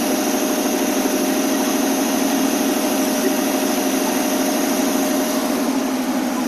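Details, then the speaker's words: AMC 287 V8 Rambler idling at 725-730 rpm after timing was set, following carburetor, vacuum, fuel and exhaust leak repairs: a smooth, even idle hum with no hiss, popping or misfire; healthy. "oh that sounds beautiful look at that's [Music] uh 725 right there 7:30 that was perfect timing is around the money"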